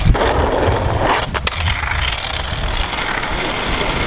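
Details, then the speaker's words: 3D-printed longboard wheels under abuse testing: a rough, gritty rolling rumble with uneven scraping as the wheels start falling apart and make odd noises. "they feel like they're starting to make weird noises though yeah I hear it too"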